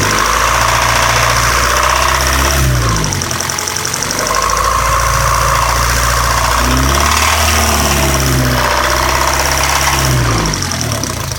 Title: 1998 Civic LX 1.6L - ticking sound from engine.